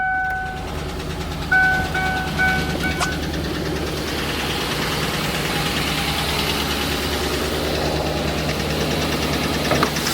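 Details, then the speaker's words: Cammed Chevrolet Suburban V8 with DOD idling: sharp, regular ticking from a collapsed lifter on one side, causing a misfire and shaking, worse in drive; fix is a DOD delete with non-DOD lifters. "You can tell it's on this side. You can tell it's the one right here. Yep, not good. And you guys can't feel it, but the truck's shaking right now because it's causing that misfire."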